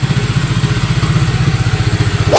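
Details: Honda Click 150 scooter, single-cylinder, puttering evenly with a steady quick beat and no clatter before shutting off; normal running. The no-start had been traced to a reversed intake valve spring.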